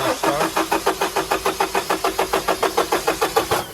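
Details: 2007–2015 Renault Trafic 2.0L diesel: the starter cranks evenly at about three and a half beats a second but the engine never catches. Scan showed injector faults on cylinders 1 and 2; connectors water-soaked with a missing grommet; injectors rusted and seized.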